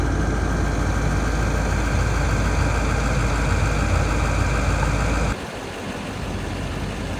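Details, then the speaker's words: LMM Duramax diesel truck driving on road before EGR/DPF delete: steady drone abruptly drops to a duller muffled tone as failing EGR valve chokes the engine, causing heavy fuel consumption. "You would be driving down the road, the truck would be doing great, and then you hear this muted tone pop on. I do in fact have a clip of this sound too from taking my friend down to Oklahoma."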